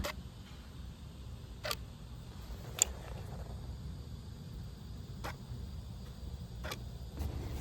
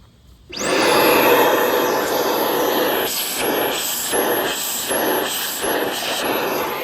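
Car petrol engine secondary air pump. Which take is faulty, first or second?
second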